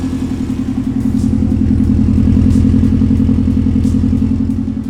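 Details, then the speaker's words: Subaru Legacy just converted to a single TD04 turbo on 7psi wastegate pressure, first start with an open downpipe and no pipes; loud raspy open-pipe idle, steady even pulse with no misses or knocks. Sounds good, like a Forester: normal idle. "and that sounds pretty good yo that sounds really good sounds like a Forester it exactly like a Forester yo"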